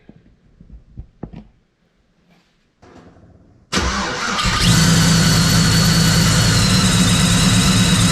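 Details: Chevy Trailblazer first start after its ProCharger D1-SC rebuilt and upgraded to D1-X, fresh oil and belt fitted: engine cranks and catches into a steady, even idle with a smooth blower hum and no misses; normal.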